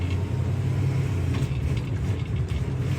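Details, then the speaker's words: 1957 Chevy Bel Air, restored 283 cubic inch V8, 2-speed Powerglide automatic, not fully warmed up, test drive shifting from low; low even rumble with soft tone change, no clunk, slip or flare; normal clean automatic shift. "Just a 2-speed power glide transmission. Shifts beautiful right there."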